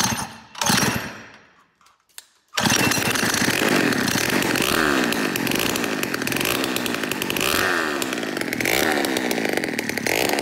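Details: Peugeot 103 moped with 70cc full Malossi kit, first start: after a short gap the two-stroke bursts into a harsh uneven buzz with wandering revs that never settle; running rough.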